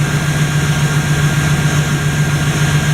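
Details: Idle after fixing leaking fuel-line quick-connect O-rings, confirmed with no leak; smooth, even idle with a steady low throb of about four pulses a second, no knocking or misses, so the engine is healthy.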